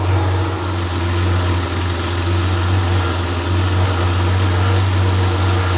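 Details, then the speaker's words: Freshly rebuilt Porsche 911 air-cooled 3.0SC flat-six built to 3.2 short-stroke specs, on a test stand, fully warm: after running slightly rich during warm-up it settles to a steady, even 950 rpm idle, no misses or knocks; muffler has a loose baffle that may resonate; normal. "runs, you know, a little bit rich through the warm-up phase, and then once it sort of warms up, it sort of settles into a nice steady 950 idle, which is, I don't know, about right, I guess."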